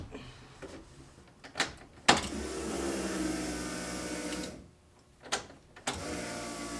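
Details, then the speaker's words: Key forward on the car after plugging in the fuel pressure regulator: a steady electric buzz lasts about two seconds, then cuts off; the fuel pump primes normally. "I've got fuel now I just need to see if I'm leaking anywhere"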